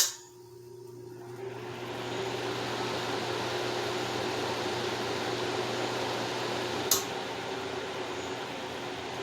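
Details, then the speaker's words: 1950s Wizard 6JC2418 hassock fan running on high speed: smooth steady low drone with even airy rush, no buzzing or humming that would signal a failing motor. "so there's no buzzing or humming or anything like that which is the usual sign that you would see in a failing motor"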